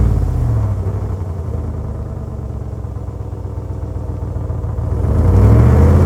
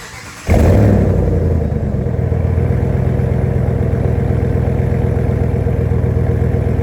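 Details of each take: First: 2026 Ram with Borla muffler replacing the muffler delete: deep even idle rumble swelling at the end, no rasp or cackle; nicely toned, about 40% louder than the Pro XS, not stock yet not outrageous. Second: 2026 Ram with C&L delete kit replacing factory muffler: fires up into loud, coarse rumbling unmuffled drone; louder but untuned and raspy, getting really gross above idle.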